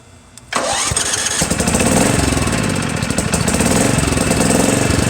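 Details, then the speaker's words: Murray lawn tractor 17.5hp engine, after new carburetor, governor/choke linkage and valve adjustments: catches after short crank and runs unevenly with fast ticking and a light rhythmic knock while starting; owner hopes it's the compression release. "I hope that's a compression release. Sounds like it. I hope it is. I guess we'll find out."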